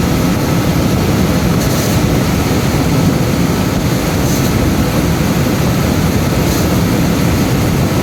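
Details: Cambridge direct-fired makeup air unit burner, after lockout on airflow from a misadjusted actuator/damper, now with airflow restored: even, steady low roar with no surging or cutting out; burner holding flame and firing normally.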